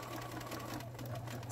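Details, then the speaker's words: Sewing machine on straight stitch, sewing a journal: quick, regular light ticking over the soft motor hum, which it doesn't normally do; abnormal ticking, owner suspects the timing is off. "hear that kind of ticking it not doesn't normally do that"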